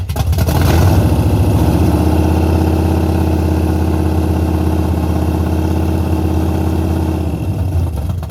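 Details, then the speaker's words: Henry J drag car parked since 1977, first start in decades: loud, deep, even rumble that catches at once and holds a steady lumpy idle with no knocks or misfires; normal running. "Look how loud it is. That was way too easy."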